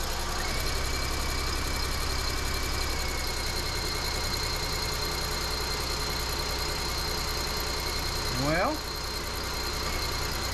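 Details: Chevy Equinox after both head gaskets were replaced and coolant refilled, with the mic clipped on top of the hood: the engine catches and settles into a steady, even idle with no knock or misfire; sounds healthy.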